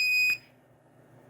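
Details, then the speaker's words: Computer RAID controller at boot, after a very slow device initialization: loud piercing single-tone beep, about one second on and one off, repeating steadily, with the controller chip's light blinking in sync; alarm from a failed drive in the array. "Once it starts, you can you can hear a very loud beeping."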